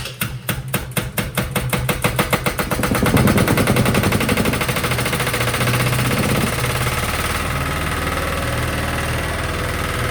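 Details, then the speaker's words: Sykes GP80 water pump with Lister TR1 diesel, auction buy, first start: slow heavy chuffs cranking, then catches into a loud, steady, even diesel beat, rattling on the floor; battery 12.6 V before, 14 V running, charging works, healthy start. "I'm actually over the moon with that albeit loud as something that I won't say um that was rattling on the floor which was making the whole building feel like it was moving"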